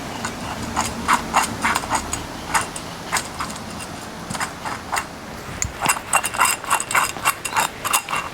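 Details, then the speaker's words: Old front wheel hub removed from a B-series Ford Falcon (BA/BF) and spun by hand: irregular gritty clicking and rattling in about three to four bursts a second; the wheel bearing is worn out and the hub is being replaced. "I think this thing has well and truly met its maker."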